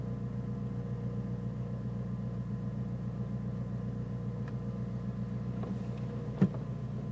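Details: Nissan Micra turbo idling low with an uneven, lumpy beat and a faint wobble in the firing, plus one sharp knock near the end; rough idle that sometimes cuts out when braking, cause unknown.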